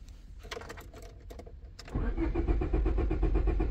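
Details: 2001 Honda Civic, no green key light in cluster, later immobilizer programming with OTOFIX IM1; a few clicks then steady cranking about four beats a second, never fires, RPM signal intermittent: crank no start from immobilizer fault.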